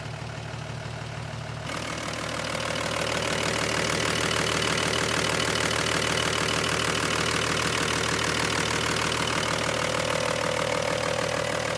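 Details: Toyota FJ60 Land Cruiser with swapped diesel, warm: catches and settles into a steady, even idle clatter with no stumbling or knock; owner says it burns clean, smoke only at startup.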